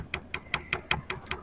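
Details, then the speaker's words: Tesla, about two years old, over bumpy roads: light, sharp plastic taps about five a second as the black rear licence plate frame base knocks against the body paint, leaving wear marks; fixed with adhesive-backed foam strip. "有一部分来源呢，就是这个牌照跟这个底座这里相碰触，这种是比较少的，但是更多的是这个黑色的这个牌照换底座跟这个车漆这样子接触。"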